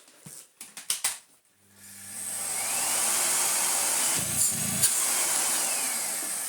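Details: Miele vacuum cleaner (890 W): a few clicks, then the motor spins up to a steady high whir and holds evenly. The machine works.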